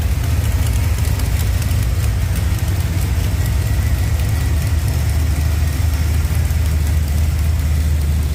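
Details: Blueprint 383 V8 just installed, with a small exhaust leak addressed by a new header gasket; deep, steady, even burble at idle, no ticking or exhaust puffing; normal idle.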